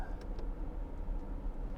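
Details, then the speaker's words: Mercedes 600 V12 started after accumulator work and a hydraulic and transmission fluid refill: low, smooth, steady rumble with no stumbles, ticks or knocks, a healthy even idle. "okay well it sounds good doesn't she sound good"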